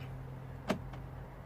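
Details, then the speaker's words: 2009 VW Golf, interior central locking button after repair (it previously locked but would not unlock): one crisp clunk, then a faint second click as the locks throw together. Central locking working normally, fault fixed. "Working beautifully. Job done."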